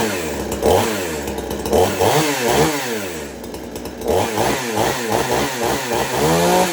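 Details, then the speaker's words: Extreme Power 82100 XP two-stroke chainsaw after fitting the Salem Master Pro muffler: clean revs, crisp throttle pickup and steady idle between blips; running well. "And it allows it to run a lot better with good throttle response and a good idle speed onto the saw."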